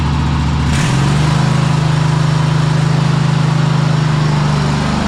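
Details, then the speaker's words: Cub Cadet Super-LT1554 lawn tractor, 500+ hours, after head gasket replacement, carburetor cleaning and a final idle adjustment: engine starts quickly and settles into a smooth, steady hum, no knocks or misses; running normally. "This is completely acceptable. And uh engine sounds really good."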